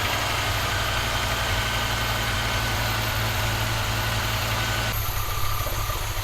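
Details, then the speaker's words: Audi 2.2 Bosch K-Jetronic, new old-stock Bosch injectors, mixture weakened, started via cold start valve: low uneven idle rumble with unsteady pulse; owner plans removing metering unit to set sensor plate height; poor mixture suspected. "well it's running I think I'm gonna have to take off the the metering unit so that I can just the center plate to get it to a decent height so that it will start and run"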